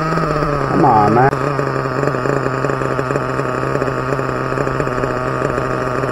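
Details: Team Associated MGT nitro RC truck, tight pull-start backplate, receiver suspected failing; steady high buzz that never drops back to idle as if throttle stays open, cause unconfirmed: engine not returning to idle.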